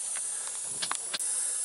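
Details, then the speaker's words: Big truck air brake system, leak behind dashboard panel at air cylinder fitting: steady sharp hiss of compressed air escaping with brief handling knocks. "is perfect lift that piece off and now we can get right at this I think you can hear that hissing right there"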